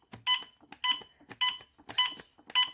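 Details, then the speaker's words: Techamor Y401 natural/propane gas detector, after its 3-minute warm-up, alarming on gas released nearby in a quiet room: sharp high triple-toned beeps repeating about every 0.6 seconds; gas smell also noticeable. "I will turn it on to see if it will detect this. You can see it alarms. Oh, I can also smell the gas that it detects already."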